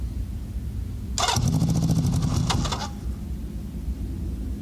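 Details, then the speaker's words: Honda CB650 with Ricks Motorsports CDI, cold start with choke lever pushed by hand (no choke cable): starter churns over a second, then the engine catches and stumbles, struggling to hold idle; reluctant cold start. "So let's give this thing a shot. Let's see if it starts. This is a cold start."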